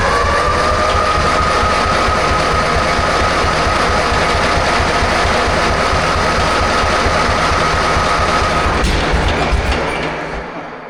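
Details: 1944 Cleveland 3-268A two-stroke diesel, first run after fuel filter housing rebuild and priming: fast, even clatter with a faint steady whistle, then winds down; sounds healthy.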